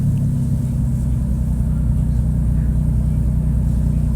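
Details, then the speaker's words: 2013 Dodge Durango 3.6L V6 idling with P0300: low uneven rumble with an irregular stumble about every second as cylinders 1, 3 and 5 misfire despite new coil and spark plug; timing said right, 2, 4, 6 clean; cause unknown. "that's what I have right now and I'm trying to figure out what can cause three and the one three and five to all Miss fire"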